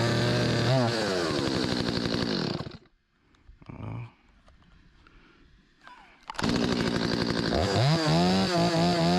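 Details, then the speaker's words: Stihl 025 chainsaw after carburetor repair for hot-start flooding, refuelled and started on choke: crisp two-stroke revs climb and fall under throttle, drop briefly to idle, then rev cleanly; still needs slight adjustment. Normal running. "My bad boy ready. Need to be adjusted a little bit. I can hear it. It got a little bit more in it than that. ain't gonna win no contest, but pretty good. Rips, baby."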